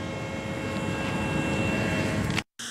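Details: Plant of an electronics manufacturer heard from homes behind it: steady high whistle over a continuous low rumble, non-stop day and night; loud industrial machinery whistle.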